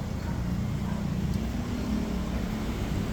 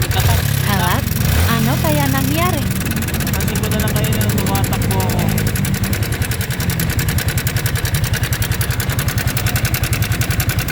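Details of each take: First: Yamaha Sniper 155R idling with a steady, even low hum and no top-end rattle, after fixing a loud knocking caused by a faulty, loose cam chain tensioner. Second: Yamaha Sniper 155R at idle: fast, loud metallic ticking as the failed cam chain tensioner, its spring dropped out and no tension left, lets the chain slap; tensioner to be replaced.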